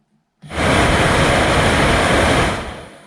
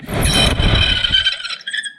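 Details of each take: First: 2006 Corsa C 1.2 interior blower fan, previously noisy and working only on speed 4, after cleaning and lubricating the motor: spins up to a steady even rush with no squeal or grinding, significantly better; normal blower run. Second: 2006 Vauxhall Corsa C 1.2 heater blower, only working on speed 4 and noisy, run off a 12 V battery: shrill squeal over a rumbly, stiff spin then fading stop, from a dry motor bearing.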